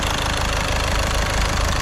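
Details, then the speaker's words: VW Caddy diesel at idle after injector removal with a puller and repair, just started, no leaks: even, settled idle with light steady clatter, no knocks or misses; running sweet. "That sounds absolutely so quiet, so quiet. I'm well chuffed with that, well happy. Definitely happy with that. No leaks anywhere."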